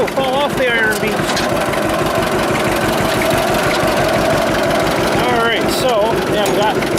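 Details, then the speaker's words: 1946 John Deere AR two-cylinder tractor, warmed up after brake band repair, with wind noise on the camera. A slow, even, unhurried putt at idle. Normal, healthy idle that sounds great in person. "so that sound nice trouble is the camera's got the wind cut on it and it really affects the sound of that a lot it really sucks but it does sound so awesome in person freaking awesome"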